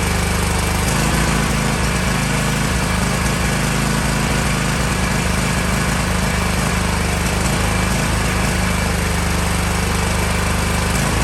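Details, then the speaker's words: Kohler KT735 24 hp engine on Toro MX5050 mower just started, still sputtering and missing after new fuel filter and fuel pump, uneven stumbling beat with dropouts; misfire later traced to faulty no-name spark plugs, not carburetor. "Just started up the mower and it's still doing the sputtering missing sound, so I'm going to go ahead and replace the carburetor."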